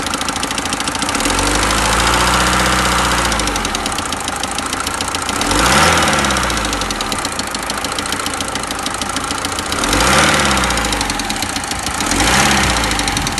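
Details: Mercedes OM601 diesel: hard knock ticking steadily under the diesel clatter, about two or three per second, quickening as revs rise; unidentified engine knock.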